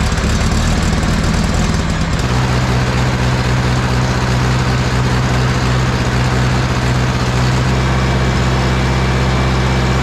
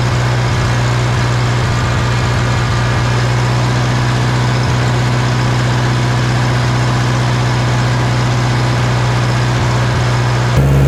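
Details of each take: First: Warmed-up John Deere 1010 diesel tractor after an engine rebuild idles loudly with an uneven, sputtering beat that occasionally drops a firing; the miss smooths out as the injection pump is adjusted. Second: 1960 John Deere 1010 diesel after engine rebuild, idling right after injection pump was twisted to adjust timing to cure smoking; big improvement, steady even idle with firm low rumble, no misses or knocks, running great.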